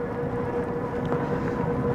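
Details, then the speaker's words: Cyrusher Kommoda 750W hub-motor fat-tire e-bike climbing in gear 7 at about 10 mph on pedal assist 5: thin, high squeal from the front that stops when pressed; rider suspects the front hydraulic brakes need adjusting. "i don't know what that squeals on the front guys i think i have to adjust my front brakes a little bit yet"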